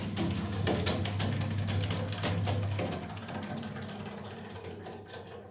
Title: Water Boiler gas making banging very loud noise